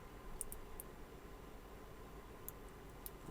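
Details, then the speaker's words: Digital Designs M5 Korean-style analog class D car amplifier, powered on during repair from a weak supply: several short sharp clicks over a faint low sub hum, normal power-up thumps that sound fine. "Bon, OK, on entendu les claquements et j'entends un peu le sub ronré légèrement."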